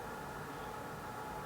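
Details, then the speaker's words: Be Quiet Dark Rock Pro 5 cooler fans at about 50% PWM in a 16 L Sliger S620 small-form-factor case: soft, even airy hiss with faint steady hum, no ticking or rattle; normal quiet fan noise. "so let's cut over to the audio sample and I'll show you cooler fans at about 50% pwm here"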